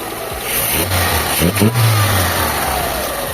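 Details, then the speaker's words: Mitsubishi Lancer 4G13 engine, previously stalling in neutral and hard starting, after idle speed screw adjustment with vacuum at 22–23: smooth clean rev and settle with no misfire or hunting, normal revving. "Yan napakatahimik na ng makina niya sir."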